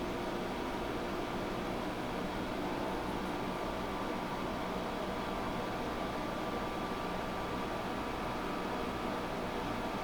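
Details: GE 5000 BTU window air conditioner on low cool: even, steady fan rush with faint compressor hum, no rattles or squeals; running normally, blowing cold.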